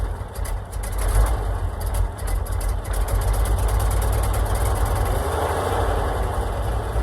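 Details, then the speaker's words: Oshkosh plow truck, thought to be a 1956, governed at 2800 rpm, sat for years, started in winter after cleaned points, borrowed coil and new gas tank, no coolant, full exhaust: deep steady idle, no stumbles or knocks; normal idle. "seem to be running pretty good for sitting forever even has a full exhaust on"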